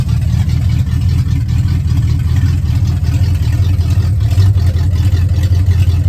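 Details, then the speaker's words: 1970 Ford Falcon with a 5.0 V8 and AOD, cold start on choke (amount unknown): heavy, even rumble with no misses or knocks, vacuum steady at 17-18. A healthy cold idle. "Rock solid at 17 into the vacuum, 17, 18. Right in between there on cold start."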